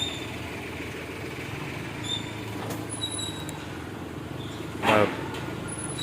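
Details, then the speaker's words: 2018 Hyundai Xcent diesel, just started and idling before warm-up: quiet even idle with soft steady hum, no sharp injector ticking; sounds healthy. "आवाज तो गाड़ी में बहुत कम है। केवल engine की आवाज आ रही है। इंजेक्टर्स की आवाज तो नहीं आ रही है।"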